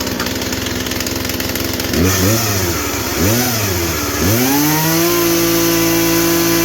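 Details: Poulan Pro chainsaw that had lost power and was opened up for a seized clutch, running on last year's gas and oil: it settles into a steady, even two-stroke buzz after a few throttle blips, revving cleanly; sounds healthy.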